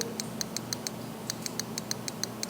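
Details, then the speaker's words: 2023 BMW S1000RR clutch lever microswitch: crisp light clicks, about five or six a second, as the lever is worked; switch operates cleanly. Its position past the lever slack decides whether the quickshifter shifts, and it is adjustable. "You can hear it right here. Hear the micro switch?"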